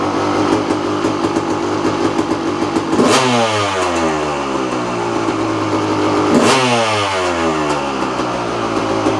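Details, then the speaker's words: Kawasaki KX250 two-stroke, out of 10+ months' storage on fresh 32:1 premix: crisp idle with two clean throttle blips sweeping up and falling back smoothly. Revs freely and sounds healthy. "that doesn't get your blood flowing yeah I don't know what does"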